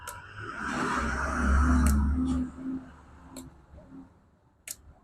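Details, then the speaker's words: Air solenoid from a carbureted Bajaj Platina (starting trouble, high idle, hot ECU) given 12 V on the bench after a multimeter pass: a few crisp ticks as the plunger snaps in. The solenoid is good. "यानी कि voltage देने के बाद ये काम कर रहा है, यानी कि ये सेंसर सही है, 100% ये सेंसर सही है।"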